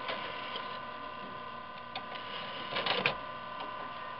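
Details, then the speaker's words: Old Windows XP desktop computer that gets loud under load: steady whir with high tones and an uneven rattle from a fan with bad bearings. "you know what that noise is the bearings in the fan are bad"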